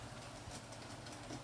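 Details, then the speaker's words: Bachmann Blue Peter model locomotive after oiling its squealing dry motor bearing, pulling several carriages: soft even running hum, no squeal or chatter, bearing noise gone. "here she is pulling her carriages quite a number of them running beautifully no sound of dry bearing say it's running very"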